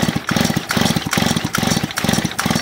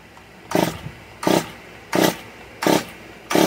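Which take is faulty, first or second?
second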